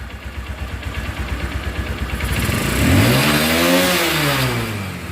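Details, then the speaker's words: Runner Turbo 125 motorcycle after engine refit, tappet adjustment and carburettor cleaning: single cylinder pulses evenly at idle, rises smoothly to a clean rev and settles back; normal running, no knocks. "তো এখন আমরা tappet adjust করে কার্বোরেটরটা clean করে বাইকটা start দিয়ে আপনাদেরকে sound শোনাচ্ছি যে সাউন্ডটা কেমন হলো। তো আশা করি আলহামদুলিল্লাহ ভালো সাউন্ড হবে।"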